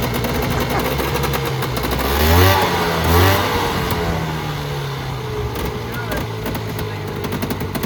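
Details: Polaris Trail Boss 350 two-stroke quad, revived after 15 years abandoned: steady, even, fairly quiet idle with a couple of short blips, no knocks or rattles, much better than before; smooth running.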